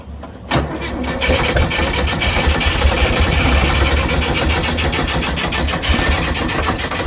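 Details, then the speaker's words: 1959 Porsche 356A with good compression, rebuilt carburetors and an added fuel pump: it catches and runs with a lumpy, uneven beat and missing pulses, apparently on only 3 cylinders. "Well, without the camera going, we worked out that it sounded like it was only running on 3 cylinders."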